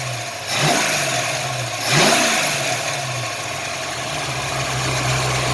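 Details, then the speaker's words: 1983 Ford Mustang Fox body carbureted engine after carburetor swap and throttle stop adjustment; two quick blips rising cleanly and settling straight back to stable idle: normal free revving. "So we can hear this thing run now. This thing sounds good."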